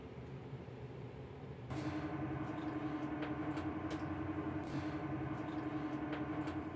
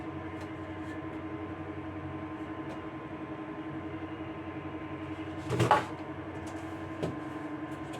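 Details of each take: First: Dantherm HCV500 dual-flow ventilation unit after fan bearing replacement, spinning up to full speed: a steady, even hum with the earlier unbearable whistle gone. Bearings run quiet and healthy. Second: Dantherm HCV500 double-flow ventilation unit noisy already at speed 2: a steady droning hum with a pronounced tone; vibration can be felt by touch in one fan motor, whose worn bearing is to be replaced.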